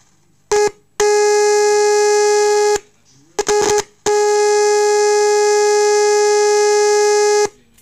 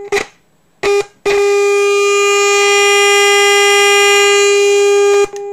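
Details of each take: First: Orion R545A radio restoration, audio signal injected at volume potentiometer wiper: loud steady clean test tone then drops in level as volume is turned down, no hum or distortion; amplifier section works properly. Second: Orion R545A radio chassis under restoration, fed a 450 kHz IF signal from a generator with all attenuation removed: loud, harsh steady tone with a gritty buzz that cuts in and out; the strong IF signal is overdriving the speaker.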